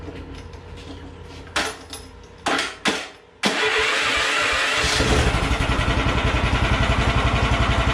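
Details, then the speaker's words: DR stump grinder single-cylinder engine (16.5 ft-lb gross torque at 2600 rpm), electric start, carburetor cleaned and rusty tank cleaned: a few cranking pulls, then it catches at once and settles into a steady, even idle; normal start and idle. "this is a torquey little motor you can see it idles good"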